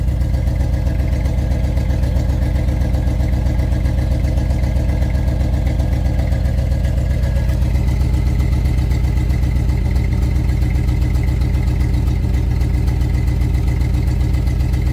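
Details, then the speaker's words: 1992-94 Chevy K5 Blazer idling while still discharging coolant: steady, slightly uneven idle with low rumbling pulse and tone shifting midway; suspected leaking head gasket or intake manifold gasket. "Wait a minute, it's changing its tone already."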